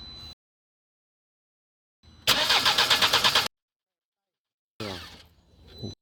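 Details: 2015 Nissan Qashqai cranks but won't start: the starter churns in quick, even pulses, about ten per second, and the engine never catches; caused by an airlock in the fuel line.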